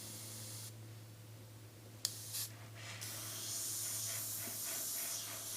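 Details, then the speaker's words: Airbrush after the paint was thinned further: a soft hum, then a smooth, even spray hiss without sputtering, laying a light, finely atomized coat on paper; normal atomization. "now that is better now you can see that how light that is how nice atomized it is on that paper"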